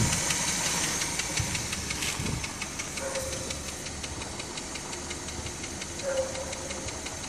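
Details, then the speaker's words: EP6 petrol engine at idle, with a helper giving some throttle: a light, sharp knock repeats almost three times a second over the running noise, clearest on the right side of the engine. It is a new noise and its cause is unknown. "Ну вот здесь вот прямо звук отчётливо слышно с левой стороны Ну в смысле с правой"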